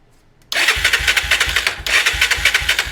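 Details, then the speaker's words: Honda 300EX ATV after a wiring fire, even starter cranking a little under one stroke per second that never catches; no spark, even with spare coils swapped in, black wire is the pulse wire. "So, the black wire is the pulse wire and no spark still."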